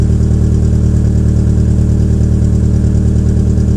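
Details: 2004 Peugeot 807 SR 2.0 with EW10J4 (RFN) engine, typical cold start with the rear silencer removed: heavy, lumpy low thud at about two per second, rough uneven idle, just starting to improve at the end. The owner attributes it to tight valve lifters.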